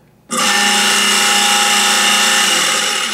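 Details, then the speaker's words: Garbage disposal run dry during inspection repairs: harsh, dense metallic grinding with a steady whir; one grinding blade suspected to have worked loose, repair will be tried, otherwise the disposal will be replaced. "so what it sounds like is that one of the the grinding blades has worked loose and we may be able to repair it if not we'll have to replace the garbage disposal to get get rid of that sound"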